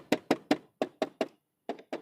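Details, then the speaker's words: Bajaj Pulsar (digital-meter model, not the 220): sharp hollow clunks in quick bursts, about nine in two seconds; rear body panels opened up and loose, rattling over bumps. "ఒంట్లో పడితే ఏంటంటే గలగల గలగల అంటుంటుంది."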